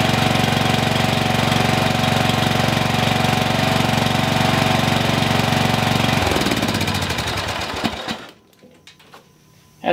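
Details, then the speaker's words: Single-cylinder mower engine, formerly locked, running after one small piece that was stopping it was sorted, exhaust reinstalled: steady, even beat with no knocks, then winds down and stops; runs normally. "guys that's all I was is that one little tiny piece is what was stopping this from running"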